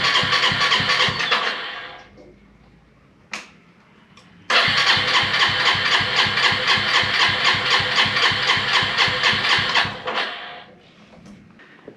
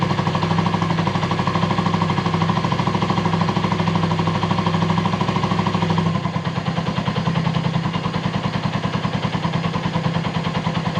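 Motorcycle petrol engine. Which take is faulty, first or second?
first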